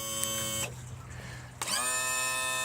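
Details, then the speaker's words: 2000 Johnson 115 outboard trim/tilt motor, after freeing the manual release valve and adding hydraulic fluid, gives a high piercing squeal that stops briefly, then restarts and climbs to a steady pitch. "Shouldn't really hear that sound. It's not as bad since I put some fluid in it. But listen, that's not good. A high pitch squeal is not good."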